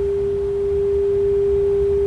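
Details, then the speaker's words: 1930s Philco 112-B superheterodyne AM radio after electronic restoration, first IF primary being aligned by ear: a pure steady mid-pitched tone over a quiet hum. Still right on; the stage is aligned, clean test tone. "okay that one was right on still"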